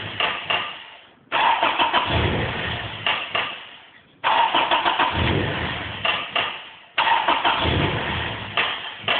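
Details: JDM Toyota 3S-GE, smoking: starter cranks the engine in three long bursts, each fading out without catching; cranks but won't start.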